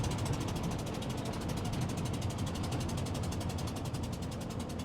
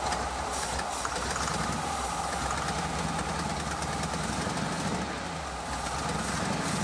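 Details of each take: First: 1986 Ford F150 5.0 EFI V8 with headers and side pipes, revived after 25 years sitting, about a mile into a test drive: sharp rapid puffing tick about twelve a second over the rumble from a spark plug blown out of the head. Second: 1986 Ford F150 5.0 V8 EFI, first run after 25 years sitting, headers, glass packs and side pipes: loud lumpy idle about 700 rpm with deep open-exhaust burble and a faint exhaust-leak puff; normal idle.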